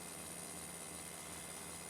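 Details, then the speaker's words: Berdair pump driven by adjustable PWM signal generator at 30 Hz, 15% duty cycle, running much smoother than at lower frequency; quiet even hum with faint steady high tone, no pulsing or knocking; normal pump running. "the downside is let's say we've slowed this down hear the the wine starting from the motor the low pitch wine it's not crazy about that"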